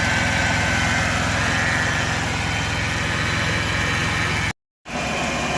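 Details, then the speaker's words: 2002 Chevy Impala LS 3.8 after starter replacement, check engine light flashing: loud idle with uneven, lumpy pulse and pronounced shaking, indicating a misfire at idle; cause not yet pinned down. "all right we started but we definitely have a misfire this thing is is shaking pretty bad yep"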